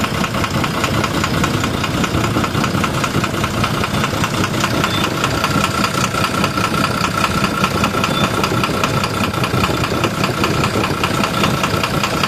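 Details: 12-M FE engine at steady idle with a sharp, fairly regular metallic knock, about a hundred a minute; engine knocking, source not yet pinned down.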